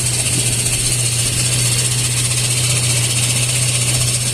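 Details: Toyota 4Runner at idle, a loud steady low drone with a harsh rattly edge from broken starter housing aluminium pieces at the torque converter; transmission lowered, converter removed, starter motor replaced.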